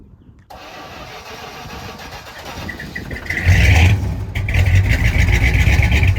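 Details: 1965 Chrysler 300 with a 383, sat since 2005, mixture screws set about 1.5 turns out, heard from the rear: cranks briefly, catches, settles into an even low rumble, then revs up cleanly; normal running.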